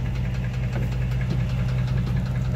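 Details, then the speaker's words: 2005 Dodge Ram 1500, 5.7 Hemi V8 at idle: sharp, regular knock tapping several times a second from down low. Owner suspects the lower end, crank or main bearings rather than the flexplate. Unconfirmed. "So yeah, if any of you guys out there know what that noise is, I think it's the lower end, or one of the crank bearings or main bearings or something. That's what it sounds like."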